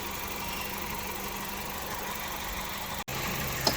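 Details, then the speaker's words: 2009 Hyundai Getz petrol at idle, scan shows cylinder 1 misfire, intermittent misfires felt on drive; test light on ignition leads shows arcing to earth on nearly every lead: engine note drops briefly as spark is shorted; arcing leads causing misfire, new leads planned. "So I'm just showing the co-workers what was going on, and actually it's doing them on just about every lead. It is doing it on every single lead."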